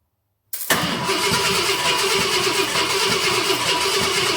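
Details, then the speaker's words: 1966 Ford Galaxie 500 XL, 390 FE V8 during a 4-barrel carb and intake swap: even, steady cranking with no catching, grinding or dragging; fuel pump throwing fuel, normal cranking. "Seems to be working all right, and fuel pump's throwing fuel."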